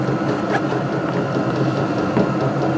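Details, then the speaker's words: Vevor 12 V 8 kW diesel air heater, first start after about 40–50 seconds of fuel pumping: steady fan whir with mid-pitched hum and soft combustion roar as it ignites; normal ignition and run-up, full run reached after about 120 seconds. "wir tun gerade noch immer das Diesel Pumpen das sind ca 40 50 Sekunden vergangen so ich hoffe ihr könnt hören die startet gerade"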